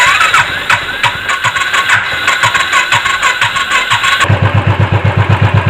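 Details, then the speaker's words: Royal Enfield electric start after the case was reassembled and oil refilled to cure starter ("self") noise: starter cranks about twice a second without clatter and the engine catches quickly into an even idle. Noise is now reduced. "பார்த்தீங்களா, வண்டி இப்போ start பண்ணியாச்சு. எப்படி இருக்குது பார்த்தீங்கன்னா, noise கம்மியாக இருக்குது. Self நாய்ஸும் வராது போட்டால்."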